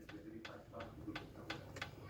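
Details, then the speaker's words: 2018 Fiat Mobi with noise at the first cold start of the morning, pistons rocked by hand: sharp, hollow clicks, about five in two seconds; all pistons are loose, cylinders 1 and 4 most, piston slap. "todos estão com folga mas o primeiro quarto eu acho que tá com mais mais folga ainda tá"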